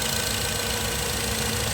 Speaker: बिल्कुल अभी वाइब्रेट नहीं कर रहा। बिल्कुल प्रॉपर है इंजन की तरह। ठीक है? रेस भी स्टेबल है और इंजन भी वाइब्रेट नहीं कर रहा।